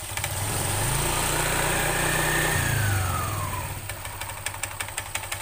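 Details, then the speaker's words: Honda Vario 125 scooter CVT: smooth as revs rise, then ticks about four times a second as revs fall; clatter disappears at 3000–5000 rpm; caused by worn variator roller sliders. "perhatikan lagi ketika RPM naik dia halus suaranya ketika RPM turun dia tek tek tek tek tek tek tek tek tek"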